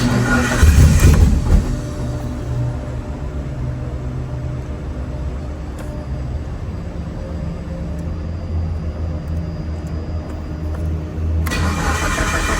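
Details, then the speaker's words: Big-turbo Mitsubishi Evo on the dyno, another start after tune setup for the injectors: lumpy, uneven idle with low rumble and stumbling beat, misfiring; tuner unsure whether coil packs (factory coils) cause it, finding points to one cylinder dead from a stuck-shut injector. "So, the car's misfiring. Um, I don't know if this coil pack related."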